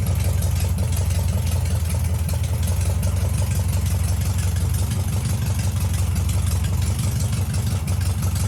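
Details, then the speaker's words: VW Beetle under renovation, air-cooled engine idling cold on choke: a low, steady thrum with no stumbles or knocks. The idle is already surprisingly low for the choke position and seems to hold; a smooth, healthy idle, with warm running still to be checked. "Déjà, le rythme moteur est ouf par rapport à sa position de starter. Il est déjà bien bas, il a l'air de tenir."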